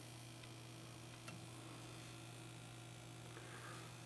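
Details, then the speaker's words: Philco 52-T1802 TV during restoration, first power-up on variac after parts replacement: thin steady very high-pitched flyback whine over low mains hum; high voltage present but no raster or sound. "oh yeah we got high voltage turn in the width control which would uh put more drive under that picture tube and i can definitely hear the high voltage which i get this set in the middle oh yeah you can hear that"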